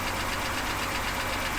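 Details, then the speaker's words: BMW E70 X5 with N52 engine, sat for two years, first start after starter replacement: light, quick ticking over a steady idle, rising with engine speed; valvetrain tapping blamed on oil supply not yet established after sitting, not confirmed. "of course you hear the tapping noise but i mean come on the car's been sitting for two years oil supply is not there everything but damn it runs good"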